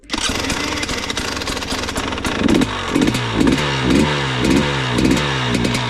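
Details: Used KTM EXC 300 two-stroke after service: it starts, then settles into a lumpy, crackly idle pulsing about twice a second with no knocks or rattles. Normal idle.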